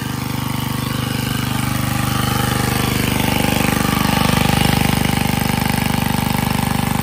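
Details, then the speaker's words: Generac 79 cc gas water pump, fixed months earlier (new carburetor, spark plug, decompression spring issue, compression up to 120 psi), pumping out a basement: small single-cylinder pulls steadily under load, firing evenly, no misses or knocking; running normally. "so it's been a few months since I fixed this I fix it on Christmas and now it's April and I'm putting it to work and it's working pretty good"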